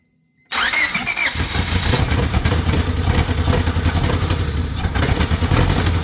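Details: Honda EK chassis fitted with an H23A VTEC engine, cranked while holding the distributor: the starter churns steadily for several seconds but it never fires or catches; crank no start, distributor suspected faulty and likely needing replacement.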